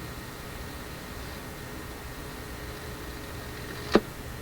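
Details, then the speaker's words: AF-610 Japanese AM/FM tube radio, tuning FM: soft hiss like between stations, then a sudden sharp crackling burst as tuning-capacitor plates touch and short while tuning. "This one, where it is right now, we can hear it hissing. Kind of sounds like an FM radio between stations, but not quite."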